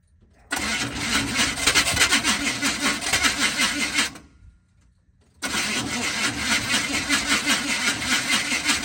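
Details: 1980 Chevy K30 squarebody V8, TH350 automatic, about 15 degrees out, fuel hose not yet replaced, fuel rigged from a can instead of the gas tank: catches, runs rough a few seconds, dies to silence, fires again, won't keep running.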